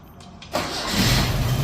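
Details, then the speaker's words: Datsun Roadster converted from carb to EFI on an MS3x, default start settings: brief crank, catches immediately and rises to a slightly uneven idle; quick start, idle a little rough. "bam so even without really changing this it fires right up so um now is it a little on the rough side yeah a little bit"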